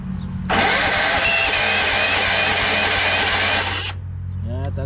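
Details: Yardsman lawn tractor, 15.5 hp Tecumseh engine with plastic-bowl carburetor after reassembly, tried dry with no starting fluid: starter spins steadily for about three seconds with no firing; cranks but won't start.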